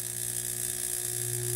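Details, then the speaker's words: Salamander heater on its high temperature setting: a steady electrical buzz and thin whine with no rush of air, as the motor hums against a jammed fan. The owner plans to take the fan apart and clean it, hoping that is the problem. "fan is just barely wanting to move so what I'm gonna do is take that fan apart and try to clean it out my hope is that that's the problem"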